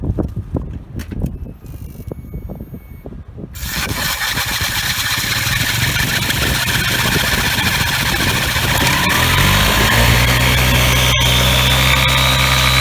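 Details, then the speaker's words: Scooter after swapping 5g Dr Pulley sliders for 5.5g TechPulley variator sliders, fired up before reassembly. A few cranking pulses, then it runs evenly and revs smoothly without knocks or rattles; normal running. "Well, that seems to be running smoothly enough from what I can see and from what you can see from the film."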